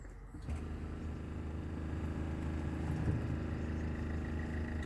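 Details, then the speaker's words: Dashboard water pump switched on: after a brief quiet start a steady low electric buzz with an even pulse, heard each time the pump is used; normal water pump operation. "Voilà, vous avez entendu le bruit de la pompe à eau. Donc régulièrement, quand on utilise la pompe à eau, vous entendrez ce bruit."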